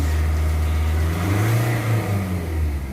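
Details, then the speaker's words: Nissan Navara Calibre diesel after engine cleaner/restorer treatment, previously throttle delay, vibration and low power: deep diesel note climbs and falls smoothly under throttle with no hesitation, shudder or flat spots; pulling cleanly with more power. "iba na ung lakas niya oh tsaka yung yung andar niya mag-smooth yan yung torque niya speed yan may speed mabilis kahit may load ka pa, kahit may karga ka pa, parang wala yan sa kanya"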